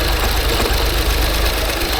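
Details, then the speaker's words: 2016 Range Rover Sport with compression only on bank 1 and a suspected mechanical fault: rough, lumpy idle on half the engine with a steady train of low, dull knocks; cause suspected, not confirmed. "I already know it's got a mechanical problem because of the way it sounds, and the whole bank is down. I don't know if you can hear that knocking."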